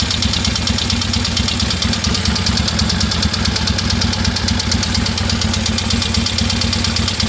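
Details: 1973 Harley-Davidson Sportster Ironhead: loud, lumpy idle with a quick, regular metallic knock from the front cylinder; owner thinks it needs a valve adjustment, unconfirmed.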